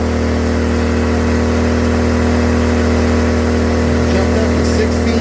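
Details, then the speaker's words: LIFAN 2000W pure sine wave inverter generator on a quarter tank, loaded to about 1650–1667 W by a heater on high, hair dryer and box fan: loud, steady drone with no bogging or hunting and no overload light; handles the load fine. "But yeah, I've got all three of these plugged in at the same time, and it doesn't seem to have any problems running them at all."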